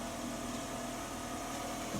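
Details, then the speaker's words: Toyota Estima, right-hand drive, idling after decarbonisation and repair of the knock the owner complained of. Steady, even idle with a smooth low hum and no tapping or rattle. Now runs like a normal car. "вот такая вот система теперь всё нормально мы на ней же делали раскоксовку же вот и теперь вот теперь она хоть работает как нормальная машина"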